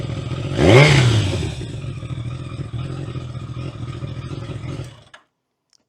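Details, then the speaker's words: Kawasaki ZZR1100 after valve clearance adjustment with new shims and cam chain tensioner adjustment: quick rev blip settling to smooth even idle with the previous tick gone; normal idle. "it's night and day it's completely different bike it sounds amazing there's no tick if you ever listened to how it sounded before this is what it sounds like"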